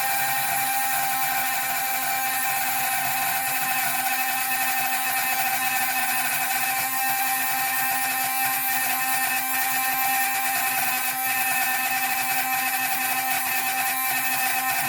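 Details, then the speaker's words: Drilling a hole through sea glass for a pendant, started on bench then finished under water: constant high-pitched squealing whine from the bit, no bogging or chatter; normal cutting. "usually it'll make a squealing sound when it's cutting so you know I've done it long enough I'd kind of you get a feel for it"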